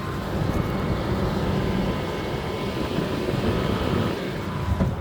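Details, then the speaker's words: Tesla Model 3 parked, loud HVAC coolant system: steady low hum with faint high whine, even throughout, coming from behind the firewall and the fans underneath the car; fix is running the thermal service coolant air purge routine. "So the sound's coming from behind the firewall, as well as the fans that are underneath your Tesla, by the way."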